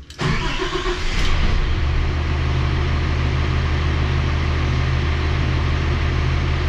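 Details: Rebuilt Cummins ISL9 (in-frame rebuild after dusting), warm, restarted: quick crank, catches cleanly and settles into a steady, even idle. Oil pressure about 35 psi at idle, 70 under throttle; healthy.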